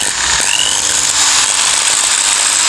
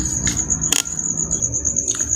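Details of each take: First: Makita drill running with a rough gritty growl and strained whine, losing power and speed, overheating and sparking; worn, burnt carbon brushes. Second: Makita drill that had been growling, weak and overheating, after replacing the brush springs burned by heat from overuse: steady high-pitched motor whine over an even low hum, no growl; runs normally at full speed.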